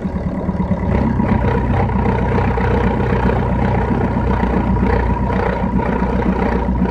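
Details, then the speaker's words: Engine pulling under load while driving, with the hood closed and a phone recording: a rough, low, uneven drone on top of the running note appears only once revs pass about 2000 rpm; the source is not pinned down. "مش موجود الا ما نعدي الفيتاسات من الرجيم للف للفين يعمل لي صوت."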